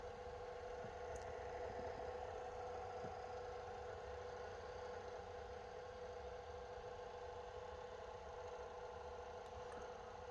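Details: Lorex 1080 HD digital video recorder: small cooling fan runs with a steady, mid-pitched droning whine; noise from accumulated dust, cleaning the fan should fix it.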